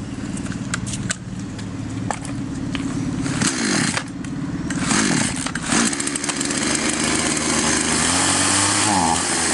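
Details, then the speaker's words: Chinese copy Stihl MS660 chainsaw that stalled on throttle, carb screws set two turns out: revs high and thin, hunting and sagging; slightly short of fuel, lean, so screw nearest the spark plug opened about half a turn. "Топлива немного не хватает. Мы откручиваем тот, что находится ближе всего к свече зажигания."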